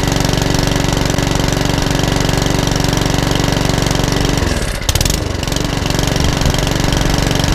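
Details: Mountfield 414 HP mower, which came in hunting and surging with a suspected carburetor issue, test-run after the repair; a steady, fast single-cylinder beat with one brief dip that settles back smooth, running normally.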